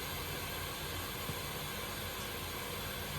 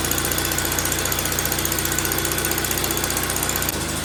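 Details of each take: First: 1931 Viking Model B twin walk-behind tractor during a cylinder leak test, engine not running: steady airy hiss of pressurised air escaping out the exhaust past exhaust valves; exhaust valve leak contributing to low compression. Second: 1931 Viking model B twin walk-behind garden tractor running properly after tuning. It chugs at about three even beats a second, holding speed steadily.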